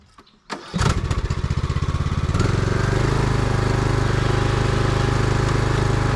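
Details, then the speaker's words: Craftsman YT3000 riding mower test run after a leaking valve-cover gasket fix (oil had dripped and burned on the muffler), new tie rods, drag link and deck belt: cranks briefly, catches, settles into a steady, even beat; normal running. "but we'll fire it up and test it out make sure that deck belt works and everything and then this one will be good to go"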